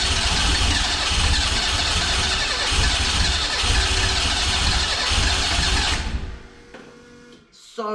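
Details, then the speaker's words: Renault 5 GT Turbo engine in an Extra van, still on the distributor, first start attempts: rough cranking with ragged catches that flare briefly then die; fires but won't run, about 40° ignition advance showing while cranking, too much. "whoa that sounds better well not better but signs of life's better anyway"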